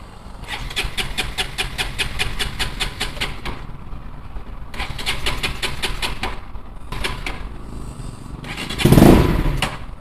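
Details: Bajaj Pulsar NS200, idle about 3 months, starting after battery replacement, fresh petrol from a small bottle and cleaning the water-carbonised kill switch: starter cranks in quick even bursts over several tries, then catches with a sharp rev; normal start.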